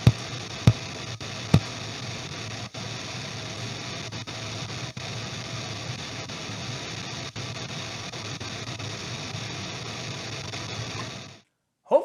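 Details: EVH 5150III 50 W 6L6 tube amp head, under a year old, intermittent noise on all three channels for about four months: loud steady hiss with random crackles and pops that cuts out abruptly, caused by two bad 12AX7 preamp tubes.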